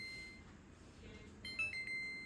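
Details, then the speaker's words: GE slide-in stove of unknown age/model; short, high electronic beeps repeating in a quiet kitchen as the clock timer countdown finishes, turned off with timer on/off. "And that's what the timer sounds like when it's going off, and you can hit the timer on off to turn it off."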